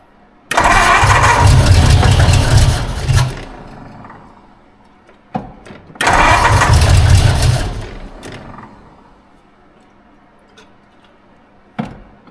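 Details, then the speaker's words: 1952 Ford Crestline revived after years sitting in a field, vacuum advance line taped off, fuel dribbled into the carburetor by hand: catches and roars briefly then dies, refires and dies; stalls without hand-fed fuel; carburetor suspected to need a rebuild. "way this thing takes a little more fuel than a filler thinks it's like need three hands to do this feel like I'm giving her too much"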